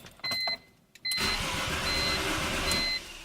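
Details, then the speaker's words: 2004 BMW E46 325i with replaced engine, EWS immobilizer bypassed to allow cranking: warning chimes, then starter spins engine steadily about two seconds with no firing; DME not powering up or communicating, so no spark or fuel. "it's not going to fire without spark and fuel so without the DME coming online it doesn't matter if it cranks or not"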